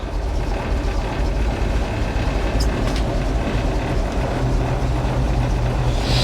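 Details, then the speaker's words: 1957 REO dump truck with a Gold Comet engine, sitting 22 years, dump-bed hydraulics tested for the first time in decades. The engine pulls a steady load without groaning or stalling as the bed raises smoothly; the hydraulics work well. "Them hydraulics work good."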